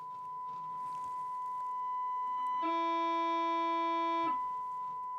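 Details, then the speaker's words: 1965 Grundig 2447 tube radio, missing parts, TA/pickup input test tone into bench speakers: above a certain amplitude the audio stage oscillates, a harsh buzzy tone cutting in; audio amplifier distortion and clipping. "yeah we it really goes nuts it's over a certain amplitude this thing starting to oscillate"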